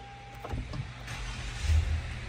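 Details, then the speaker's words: 2011 Lexus RX 350, towed in no-crank, no-start: short crank catches quickly and settles into a quiet, steady idle during start-stall-restart procedure after battery disconnect; clean, normal start. "yep starts up and installs totally normal behavior after a battery disconnect we're good"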